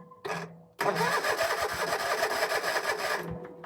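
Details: 2011 Land Pride zero-turn mower that sat several years, cranked from a weakening jump box: steady starter churning at about three pulses a second for 2.5 seconds, turning over but never catching; spark not yet checked.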